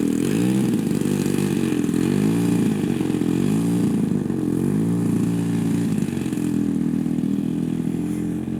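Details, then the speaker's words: Robart P-47 giant RC plane engine in flight in cooler air, low end initially lean then richened, high end possibly open too much: uneven burbling, pitch sweeping without crisp power, a burble not a miss; rich mixture. "Yep, she's rich now. But that's an engine barble, that's not a miss."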